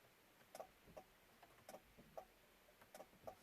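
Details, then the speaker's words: 1995 Chevrolet Blazer 4x4 with 4x4 not engaging, in neutral with key in accessory; sharp separate clicks about once a second from the dash as each selector button is pressed in a quiet cab. The 4x4 selector relay is switching normally. "I'm going to be quiet so you can hear what's going on. You can hear that click of the dash here."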